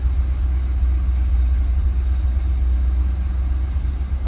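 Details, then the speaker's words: 1978 Chevrolet Corvette Silver Anniversary, V8, 4-speed manual, 38,818 miles, after a cold start: a deep, steady rumble with no misses, knocks or ticks; a healthy, even cold idle with good oil pressure. "That was a cold start. You can tell by the temperature gauge."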